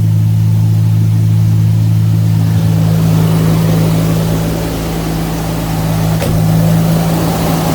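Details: Jaguar XJS V12 barn find, sat nearly 7 years, first start on fresh fuel after cleanup and relay work: starts straight away with oil pressure rising; smooth, even low idle hum with no knocks or misses.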